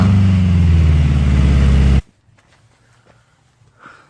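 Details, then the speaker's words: Toyota AE86 with a new muffler only resting on an oversized fitting, with gasket maker applied to help it seal and propped on a jack stand. Very loud, deep, throbbing idle before shutoff: loud exhaust from an unsealed muffler. "yeah that sounds pretty loud"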